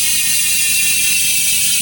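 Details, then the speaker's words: Speed One Soldier rear hub (sealed bearings) on a Mountainpeak Everest Pro V2 rigid MTB, spun freewheeling at fastest speed; fast, high-pitched, even buzz of pawls too quick to count, not overly loud; healthy freewheeling hub. "Pero sakto lang sa pandinig. Opo. Ayoko po yung mas maingay ng todo."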